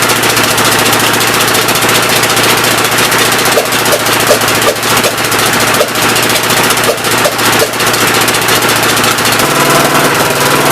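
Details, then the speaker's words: Engine first start attempt after priming oil, with fuel fed in by hand: loud, uneven running with irregular sharp pops through the intake and a ragged beat; owner suspects a leaking intake valve that needs lapping, unconfirmed. "oh no boys intake valve seems like it's leaking pretty good um it's not hanging open up here I'd like to hear it pop off once"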